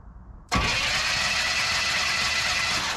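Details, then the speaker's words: Long-stored 1967 Cadillac DeVille convertible, coil high-tension lead grounded: steady starter whir turns the engine over without firing; cranks with no spark, points gap suspected open. "I'll take the high tension lead off put that on ground and we'll crank her over should have well probably won't have spark"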